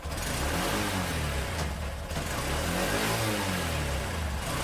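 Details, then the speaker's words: Honda Shine motorcycle after clutch plate replacement, new engine oil and new plug, starting on one kick: strong, even exhaust beat climbing cleanly with each rev and gear change, no rattles or clutch noise; normal running. "Okay, గేర్లు మొత్తం మారితే pickup చూసారా, sound కూడా ఏం రావట్లేదండి."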